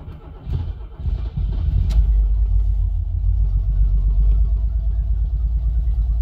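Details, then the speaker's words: 1979 Opel Monza barn find running in the garage on its original injectors after fuel tank install: uneven, lumpy low note with an irregular stumble, like one or two cylinders dropping out; still seems to misfire, cause unconfirmed. "hmm probably here it does still sound like it's misfired"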